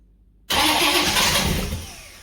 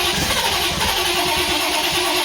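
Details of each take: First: Holden 308 V8, first start after a full stock rebuild with cylinders resleeved to 101.6 mm and a Crow 282°-duration cam, fuel poured into the carburetor. The starter spins it with rough fluttering and a few weak puffs. Cranks but never catches. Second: Freshly rebuilt Holden 308 V8 first start, cylinders re-sleeved to standard bore, Crow Cams 282-duration cam, remanufactured Quadrajet: catches straight away into a deep, slightly lumpy cam idle, healthy.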